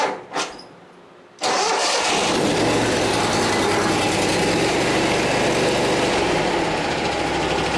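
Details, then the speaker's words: Exmark Lazer Z zero-turn with a two-cylinder Kohler (CH25/CH730-740 type) just after a new muffler and new fuel valve, started with choke on and slight throttle. A short crank catches cleanly into an even putt-putt idle and it idles right down. "Oh yeah, I like that. Put, put, put, put, put, put, put, put. 2 cylinders. Idles right down."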